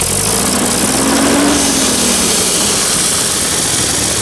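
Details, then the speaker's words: Old engine just revived after sitting, in high range at high throttle: coarse uneven wavering drone that sounds awful; owner suspects governor, spark plugs or an air leak at exhaust or intake manifold. "try opening it up a little bit oh god that sounds awful in there whoa honey doesn't seem to make much difference that does not sound nice in there"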